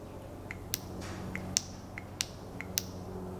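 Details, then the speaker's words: New Toyota VSV (90910-12100) for P0401 EGR code on a 1998 RAV4 3S-FE: sharp little clicks as power is applied on and off, unlike the old open valve that stayed silent; the new valve works correctly. "So this valve, the brand new one, makes that little click, and we know it's working correctly."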